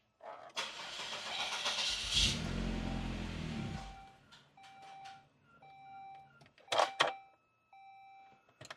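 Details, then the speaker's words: 2003 Saab 9-3 after a fuel pump replacement and refuel: the engine catches roughly, then a steady loud high-pitched whine persists over the idle, the same noise two new pumps made. A tuner suspects the pump basket; the cause is unconfirmed. "Oh, what is going on? Still making that same noise. That's still that same loud whine."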